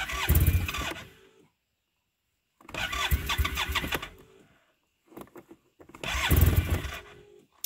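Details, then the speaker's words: Arctic Cat Norseman snowmobile after sitting all night, on fresh gas so not a gas issue, pump run again before cranking: three cranking bursts, never catches. Crank, no start. Dealer reported a vacuum error code; owner suspects a slow leak draining fuel, or possibly the fuel pump. "so if we shut it off and we run the pump again it should fire right away nope"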